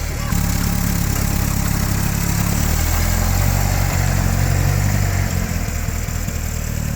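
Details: Land Rover Series 2A on first start after a complete engine rebuild and new clutch, started on choke: a steady, even, low-pitched four-cylinder idle with no misses, knocks or rattles.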